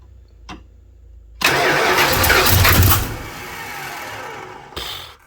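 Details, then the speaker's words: Swapped-in engine in a '75 Plymouth Roadrunner, lifters not yet pumped up, known vacuum leaks front and back, running on pumped gas: sharp pops and coughs on a fresh start, runs roughly a couple of seconds then sags and stumbles; backfiring, cause unconfirmed. "Get that backfiring thing going. Yeah, it sure does."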